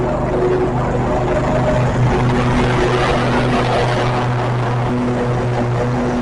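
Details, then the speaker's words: Riding mower after new battery, spark plugs, fuel line, fuel pump and cleaned carburetor, electric PTO now engaging: steady, even engine drone under blade load with no misses or surging; running normally with PTO engaged. "I'm gonna start the mower and you will hear that PTO engage because I got a new battery. Remember I told you a weak battery will cause your electric PTO not to come on."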